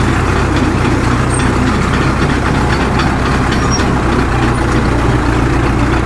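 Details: Caterpillar D2 diesel, after swapping in another injector while chasing an intermittent pop: steady, even idle with a low, regular chug and no pops or misses; normal idle.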